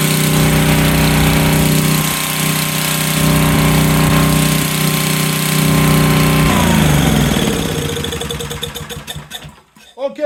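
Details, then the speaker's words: Generac SVP 5000 generator, long unused, running again: steady fast-firing chug at even speed, then winds down and coasts to a stop. "she runs Della hasn't been running in a while"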